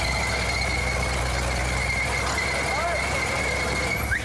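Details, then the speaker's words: 1973 Cadillac Miller-Meteor hearse engine driving custom-mounted hydraulic pumps: sharp steady high-pitched squeal held for seconds over engine rumble; too much slack, belts slipping on the pump pulleys. "The engine's running, but the belts are slipping on the pumps."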